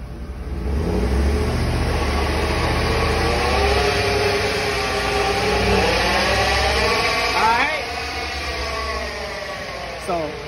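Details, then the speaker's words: Chevy Suburban: a steady whine that rises and falls with road speed. The customer thought it was a wheel bearing, but a stethoscope traced it to the rear differential, which needs replacing. "um the customer brought it in for a noise she thought it was a wheel bearing noise it's actually coming from the rear end"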